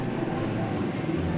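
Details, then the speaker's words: Window aircon fan motor (condenser propeller and evaporator) after bearing replacement: steady, even hum with no rattle, scrape or bearing growl; the earlier noise is gone and it runs smooth and quiet. "na siya maingay. Kita niyo ba, wala nang ingay, di ba?"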